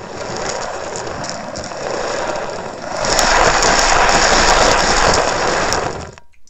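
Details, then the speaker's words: Shimano Stradic 5000 FK spinning reel, formerly seized and rusty, cranked by hand: rough, gritty grinding with rapid ratchet-like rasp growing louder with faster cranking, feels geary; usually caused by worn bearings, possibly a broken gear; needs full rebuild. "So this thing needs to be ripped apart and completely replaced. Usually this is caused by bearings."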